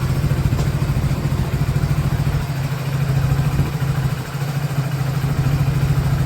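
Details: Hero Passion Plus BS6 motorcycle after fuel pump replacement; it previously went "put-put" and died after starting. Now a low, steady single-cylinder idle that holds without stumbling or stalling. Fixed, normal idle.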